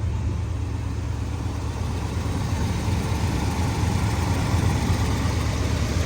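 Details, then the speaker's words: 1994 Chevrolet C30 ex-fire-department truck, 7.4 L 454 fuel-injected V8, automatic, 4WD, about 27,000 miles, before repair: deep V8 idle with uneven loping beat and recurring stumble; misfire. "this is not it's this is the bad of it okay it's got a Miss"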